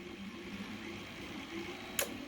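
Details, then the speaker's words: Power supply feeding a Pilot window motor setup; in a quiet room, a single crisp click as an internal relay switches the voltage range (0–8, 8–20, 20–50 V); normal range relay switching. "there are places where I think there are two relays, that trip on this thing between, like 0 to 8 volts, and then when it goes to 8 to 20, it trips to either a different coil or a different tap, and then 20 to 50 a different tap, and you can hear those."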